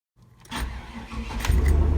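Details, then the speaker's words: 1999 Chevy Suburban 1500, original starter before replacement: slow, labored cranking building gradually with heavy low churn; starter sounding weak. "it starts the car and I hadn't realized that the starter was already sounding weak"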